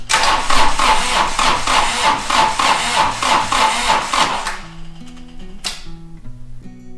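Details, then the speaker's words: Toro Reelmaster 3100D diesel reel mower, first start after a rebuild, glow plugs getting no power: labouring starter at about three beats a second, cranking hard with no firing while the battery runs down. A bad connection is suspected. "down the battery. That's really cranking hard. Okay, so let's try it again. It should go."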